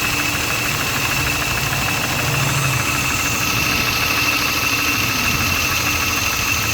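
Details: S52 E36 M3 at idle after a top-end rebuild with all new lifters: fast, light, sharp metallic ticking from the top end. Source not pinned down; lifter tick suspected.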